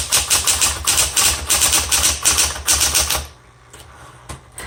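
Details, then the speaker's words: 1960s Smith Corona Coronet electric typewriter, repainted, color selector on black: quick steady key strikes about three per second over a light motor hum, then stopping; working normally, a little noisy. "This types really well. It's a little noisy, but it types really, really well."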